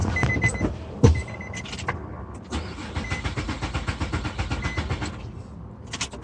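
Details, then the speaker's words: Crank no-start: the starter cranks evenly at roughly six pulses a second but the engine never catches and no fuel pump hum is heard; a failed fuel pump relay is suspected. "since it's not a crank since it's just cranking and it's not turning over I'm gonna actually listen for the fuel pump real quick and I don't hear the fuel pump so what we're gonna do is we're going to go up there and see if the relays kicking over"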